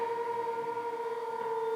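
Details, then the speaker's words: Leesa adjustable base by Leggett and Platt, head and foot motors lowering simultaneously: steady, fairly high-pitched drill-like whine at an even pitch, louder and shriller than other bases; owner worried, unsure it should be this loud. "It's like someone drilling. It sounds like a drill. I'm not sure if it's supposed to be this loud."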